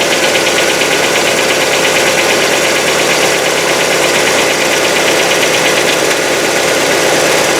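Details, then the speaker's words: Hyundai Getz petrol engine, fully cold after a day in the garage, winter, old oil: fast light metallic hydraulic lifter tick over steady idle hum, lasting about a minute; owner suspects dirty lifters, plans oil change then Liqui Moly additive. "Вот он наш стук. Зимой, конечно, он по времени подольше стучит, пока прогревается. В холодном автомобиле, в холодном моторе звук присутствует."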